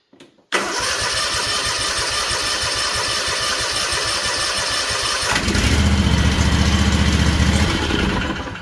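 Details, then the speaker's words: Freshly rebuilt Kawasaki FR730V V-twin in a Cub Cadet SX60, first start after switching to the tank with fuel, on choke; brief crank catches at once, settles into a quiet even idle, no smoke seen. Normal start and idle. "All right, I shut the choke off too quick. Pretty quiet. I don't see any smoke, guys."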